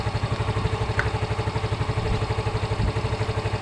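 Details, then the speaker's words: Yamaha Mio M3 after a part was replaced with a new one to fix electric start: even, steady single-cylinder putter about ten beats a second, no misses or knocks. Normal idle, starting restored. "Ya oke Ya ini sudah normal kembali"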